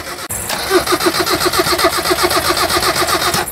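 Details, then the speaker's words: Car with a new battery: starter cranks strongly and evenly, about four beats a second, with no firing; the starter works at full strength but the car won't start, a car fault rather than the battery, sent to a workshop. "jadi ceritanya konsumen aku itu beli aki baru kemudian di starter itu bunyinya ng lah motor starternya itu sudah bekerja maksimal tapi mobilnya tidak mau menyala"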